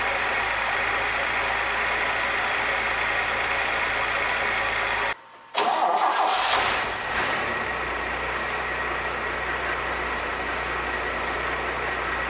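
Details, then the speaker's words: 1966 Chevrolet C20 with Chevy 292 six after first start: starts right away on the key and drops into a smooth, even idle with no misfire. Idle mixture set with vacuum gauge; vacuum about 17, owner hopes it rises as rings seat. Normal idle. "Other than that, starts right off with the turn of a key. Idle's real nice, so I think we're good to move on."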